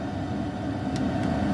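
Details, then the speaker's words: HCalory 8KW diesel air heater warming up past 183 degrees: steady low hum, even fan whir and a couple of soft clicks, fuel pump tick inaudible; running smoothly. "right now you can hear the fan, but you cannot hear the little ticky of the fuel pump, which that's really nice."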